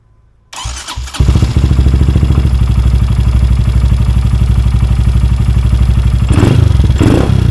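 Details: Honda Grom after installing DHM S1 camshaft and adjusting valve clearances: engine cranks, catches and settles into a steady, even single-cylinder idle with regular exhaust pulses; sounds healthy.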